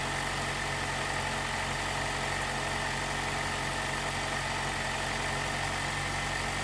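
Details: 2018 Jeep Wrangler JL, 2.0L turbo, after replacing the timing chain tensioner to cure a rattle on cold startup: even, steady idle hum with no rattle or ticking, quiet and healthy.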